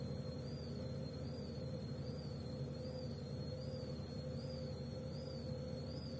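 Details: Gorenje W98F65I/I washing machine, 8 months in service: thin high whistle over the steady motor hum, wavering with each drum turn. Suspected slipping belt squeal, not confirmed.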